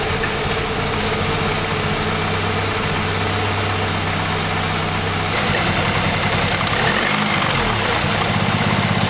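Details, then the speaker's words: Wrecked 2018 Audi S3 8V 2.0 engine, first start after inlet manifold refitted and plastic found in a cylinder: rough, uneven idle with stumbling beats; misfiring badly, cause not confirmed. "there's it's misfiring badly like really bad it is misfiring"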